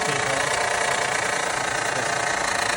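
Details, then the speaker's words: 2012 Honda Odyssey 3.5L V6 at idle: a fast, dry metallic rattle; the timing belt tensioner is suspected; the fix is a timing belt and water pump. "chances are on these the timing belt tensioners go bad or Hydraulics engineers and they start to Rattle and make a bunch of no"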